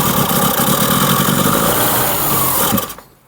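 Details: Mini Cooper barn find with SU carb, primed with fuel in the carb: engine bursts into a rough, busy run under three seconds then dies; fires on priming fuel but won't keep running; fuel pump works.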